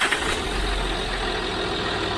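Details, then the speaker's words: 2006 Land Rover Discovery 3 TDV6 2.7L diesel after full engine rebuild and initial no-start, on second startup: even, steady idle with smooth beat, no misfire; the earlier cylinder injector fault did not reappear. "that sounded more normal it's good yeah because now you could hear it that it it was so on second startup the injector fall did not come"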